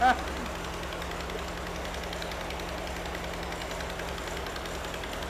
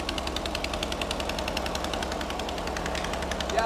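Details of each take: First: Mystery VW engine of unknown history, rebuilt from used parts, on its first start and still cold: steady, even idle with a low hum and no bottom-end knocking, despite heavy oil; a slight exhaust leak is present. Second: Mystery air-cooled VW flat-four built from used parts, first run: fast, sharp puffing tick on the idle from a small exhaust leak; otherwise running well.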